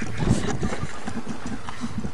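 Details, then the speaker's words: 1995 Geo 1.3 engine deliberately destroyed by feeding dirt, rocks, gravel and coins into the intake; lumpy, uneven low idle with irregular thumps and gurgles, no compression, near locking up; internal engine damage from debris ingestion. "well now you know the quickest way to kill a motor and it isn't sodium silicate it's just a little oldfashioned redneck gravel"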